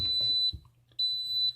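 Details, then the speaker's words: Autoaqua Smart Level Security test in a second-floor sump: siphon broken by pulling the U-tube, water rises over the sensor and the pump shuts off; sharp half-second high-pitched beeps, the high water level alarm, which takes 5 minutes to reset. "And it's going to rise up over this sensor, I hope, and turn the pump off. It did."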